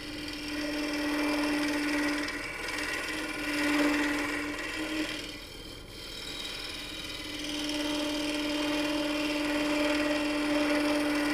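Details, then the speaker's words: Woodturning lathe cutting a coffee scoop from soft pine glued to a blank, away from the headstock, with a negative-rake tool: scraping cut with a steady buzzing hum, tool chatter from vibration of the flexing workpiece. "sound right there is vibration and you can tell it when you when you get something so I have like two things working against me"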